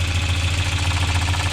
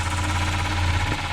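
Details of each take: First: 1993 Volvo 940 B230F after a timing belt, tensioner and water pump reseal and new timing covers on a damaged rear cover: a rubbing noise goes away when the tweaked cover is pulled, leaving a steady, smooth idle drone. Normal idle. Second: 1993 Volvo 940 B230F after a timing belt and tensioner change, water pump reseal and new plastic covers on a badly damaged rear cover. Steady drone with faint rhythmic scuffing: the belt is rubbing the bent cover, and the noise stops when the cover is pulled on.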